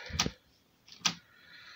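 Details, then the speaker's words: Toshiba PC-G10 cassette deck that stopped working, won't play or rewind: sharp clicks repeating about once a second; belt or linkage suspected, belts to be replaced. "just um moved it and it went click and now it's doing that again so i don't know what's going on here"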